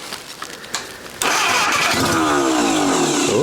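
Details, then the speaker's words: Junkyard Willys engine with a repaired Supersonic head, cranked on a weak jump pack with a little choke: steady cranking with a few scattered firings that kick the starter out, never running on its own. Needs more fuel and a better battery. "little choke so it keeps firing and kicking the starter out so that could be an issue"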